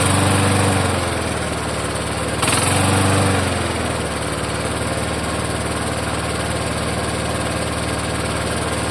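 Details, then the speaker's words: Vintage Toro walk-behind mower, a near-new marketplace find, firing up and settling with a dull knock. Owner suspected a loose blade, but it seemed tight and appeared professionally serviced, so he doubts that cause. "I think I I might know what that knock sound is. I'm going to give it a look. I wonder if the mower blade is loose. Cuz that can make it have a knock sound to it."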